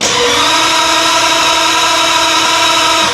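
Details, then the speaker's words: 1950 Ford flathead V8 with DIY junkyard EFI, cranked via start button: steady, even, brisk starter whir with no grinding or hesitation; cranks good and fast, normal cranking speed. "she cranks over just fine, good and fast."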